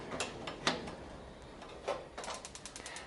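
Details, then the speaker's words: Heat Outdoors Athena Plus gas patio heater, AA battery fitted in igniter: a few scattered clicks then rapid even ticking about ten a second; igniter sparking normally. "can hear that clicking that's a good sign"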